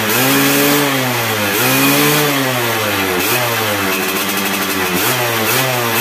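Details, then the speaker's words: Yamaha F1ZR two-stroke after fitting an original Yamaha CDI (formerly stuttered at top revs and kicked back at kickstart): revs blip up and fall back, climbing cleanly to the top without stutter or cut-out; fixed. "di gas itu terakhirnya nggak Brebes ya nggak kayak begem nggak kayak terbatas gitu ya ini Los"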